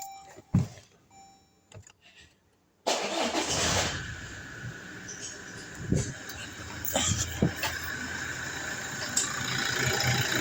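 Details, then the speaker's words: 2017 Toyota Hilux diesel just after start-up; quick uneven clicking, a few per second, louder under load from AC, drive, reverse or steering; belt tensioner and idler pulley were replaced without effect; the alternator pulley is the cause. "which it gets it gets louder whenever load is on the engine. So whenever you turn off the AC, it minimizes, but whenever you put it in drive or reverse, it gets louder."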